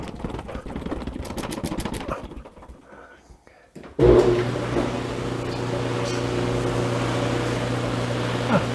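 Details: Dryer after lint chute replacement, reassembled, test run: a few handling clunks, then steady even low hum and drum rush with no rubbing or knocking; airflow fully open; running normally.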